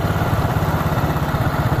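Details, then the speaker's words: Honda Supra 125 carbureted single that wouldn't idle and died on throttle, after carburetor cleaning, air screw turned in to seat then 5 turns out: steady even putter with regular firing pulses and no stumbling; normal idle. "Kita putar sampai 5 putaran untuk mencari ringannya suara mesin."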